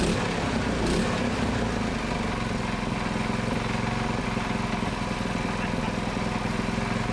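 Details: Predator 224cc Max Performance engine with milled, ported HEMI head and stainless valves, first run after rebuild, choke on: steady, even single-cylinder beat with no misses or knocks; runs healthy and strong.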